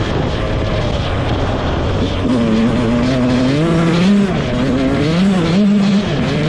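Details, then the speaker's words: Rebuilt 2001 Yamaha YZ125 two-stroke, ridden: crisp note climbing cleanly through the gears, revs following throttle, no stumble or bog; jetting spot on, air screw maybe slightly off. "well I'd say the jetting is pretty much spot on um there could be a slight slight adjustment to the air screw but I'm not even going to mess with it it's pretty good"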